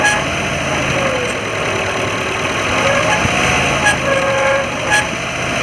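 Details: Maruti Gypsy Euro 3 idling evenly with steady dry whirring rush and no knock; damaged water pump bearing noise.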